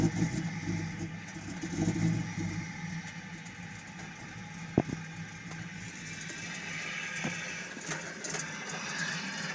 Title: XJ Cherokee Misfire, Backfiring, Rough Idle